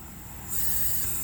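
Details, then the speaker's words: Vortec 350 small-block Chevy on a leak-down test, cylinders 5/6 with both valves closed: a steady airy hiss of air escaping on the exhaust side, so the exhaust valve isn't seating (possibly carbon on the seat). No air in the valley, so the rings are good. "okay you guys hear that air flowing both valves are closed and you can hear the air"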